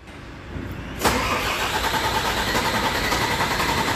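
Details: Volvo truck diesel cranking at a steady, fairly quick beat without catching: a long, hard start caused by air in the fuel system, fixed by bleeding the fuel.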